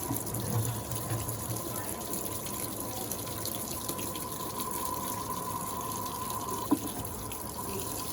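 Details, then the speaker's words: Electrolux Turbo Acqua Jet 15.2 kg (LTA15) washer on medium level, short agitation, double rinse: spin stops, motor noise ends, then a steady rush and splash of water filling the tub for rinse, no motor noise; normal water fill. "Ela para de centrifugar e já começa a encher da água. Fica só esperando um pouquinho assim que o motor acabar esse barulhinho."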